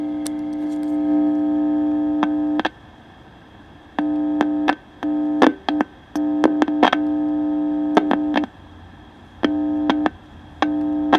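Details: Vintage Aiwa AM/FM transistor radio under repair: a loud steady buzzing hum switches on and off with no station coming through. The second IF stage has lost gain even though the IF transistor's voltages measure good; the cause is not yet found.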